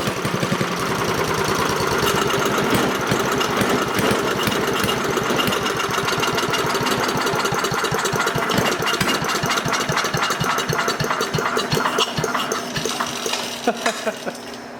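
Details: Craftsman 5 hp wood chipper, sat three years: small single-cylinder putters at a steady, fast beat with crisp even exhaust pulses, no knocking; running fine again, though smoky.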